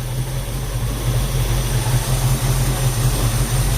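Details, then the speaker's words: 1966 Ford Mustang after a power steering fluid flush and a 20-minute drive, idling: deep steady rumble, no whine or groan, no leaks; power steering pump quiet and normal. "so that was a good 20 minute run still nice and quiet elites or anything and it all looks good"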